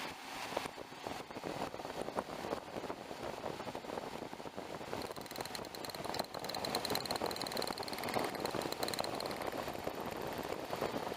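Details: 2007 Mazda B3000 (Ford 3.0) after misfire repair and ECU/security reflash, running: even idle with dense rapid crackle of sharp snaps from strong spark arcing off plug leads, a big improvement over before.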